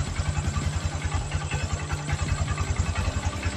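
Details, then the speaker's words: Verza 150 single-cylinder motorcycle idling smoothly after replacing an overly loose cam chain (kamrat), which was the cause of the earlier rough engine sound; low, even thumping, no rattle or chain slap. "OK các bạn, tiếng động cơ lại mượt mà , thế này là thay kamrat vì kamrat lỏng quá."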